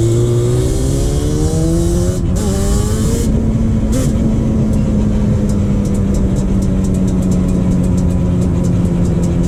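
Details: 2001 Yamaha Banshee 350 two-stroke on a POV test ride after new clamps fixed an exhaust leak: revs climb quickly, two quick shifts, then a steady crisp high-rev drone with no popping or hiss. Runs better now the exhaust is sealed.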